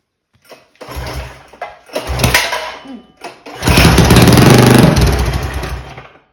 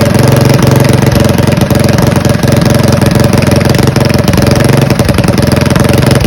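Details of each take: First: Mega Moto 212 mini bike with Mikuni carburetor, cold weather: repeated pull-start chugging bursts that die instantly, engine turns over but never fires after mixture was richened; owner suspects mixture setting, cause not confirmed. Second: Mega Moto 212 mini bike, modified Predator Hemi engine with Mikuni carburetor, after idle tuning: even single-cylinder thump about four pulses per second, steady and smooth with no misses; healthy idle.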